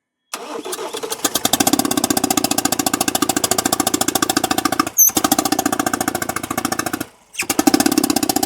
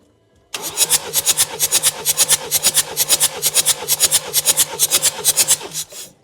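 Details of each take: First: Ford Transit Custom diesel (smoking, hard starting, low power) on startup: rough rhythmic puffing chuff, first suspected as valve issue; compression test found blown head gasket between cylinders 2 and 3. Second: Ford Transit Custom diesel, compression retest after head gasket replacement, head skim and valve work, glow plugs out: fast, even cranking with strong, evenly spaced pulses; all cylinders read 24, compression good.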